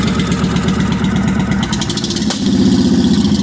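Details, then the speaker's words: 1998 Honda Shadow VT1100 abandoned bike, carb bowls drained and fresh gas added, running without coolant or radiator: lumpy V-twin idle with one sharp pop while the choke is still open; backfire, smoother once the choke is turned down. "little bit of backfire there I do have the Troke still open open let's turn that down"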